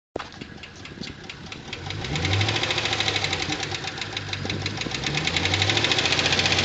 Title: 2009 G8 GT lifter tick